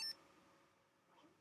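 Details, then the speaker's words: Sinclair ZX Spectrum 48k Issue 6A after replacing the faulty speaker (32 ohm, with 10 ohm series resistor so TR7 stays cool); one short clean high beep then silence; normal beeper sound. "Okay, okay, okay, all right, we should have sound now. Yay, you hear that? (Beeping)"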